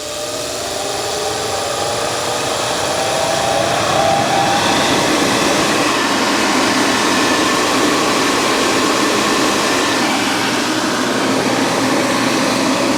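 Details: 2017 Central Boiler Classic Edge 550 outdoor wood boiler, after replacing the combustion draft blower, mic held near it at power-on: smooth steady airy whoosh settling to even pitch, no rattle; now very quiet versus the earlier rickety sound.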